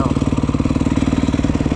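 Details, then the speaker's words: 2011 Yamaha YZ250F carbureted four-stroke after valve adjustment and carburetor clean, kick-started after weeks of not starting: steady even single-cylinder putter, no misses or stumbles; clean healthy idle. "started right up thing hasn't started in the couple of weeks so I'm pretty happy all that it's a sweet little bike too"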